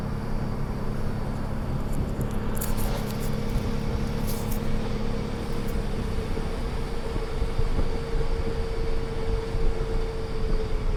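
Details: 2008 Ford Edge with failed transfer case (PTU); heavy low rumble with faint whirring while rolling, like a distant train, a grinding/clunking worn transfer case under way.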